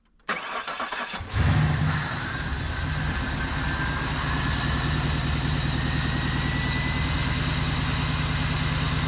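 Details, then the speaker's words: 2001 Cadillac DeVille first start after new starter, fuel injectors and intake gasket, engine primed by cycling key for fuel pump: short crank, catches quickly, settles into smooth even idle with no knocks or grinding; healthy start. "and new fuel injectors new intake gasket and a new starter so it's time to fire up"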